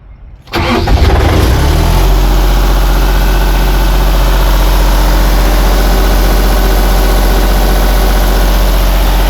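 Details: Miller welder with German-built diesel engine, hard to start after fuel filter replacement, primed by pressurising the fuel tank to 5–10 psi: short crank, then catches at once and settles into a steady, even low diesel idle with no misses.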